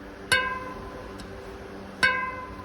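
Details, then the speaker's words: Rebuilt Farsports radial-laced front wheel, straight-pull spokes, in a wooden truing stand that amplifies the sound: two clean ringing plucks at nearly the same pitch; even spoke tension. "Now those two are pretty much the same. That's a little bit less tight. That's back to the other one."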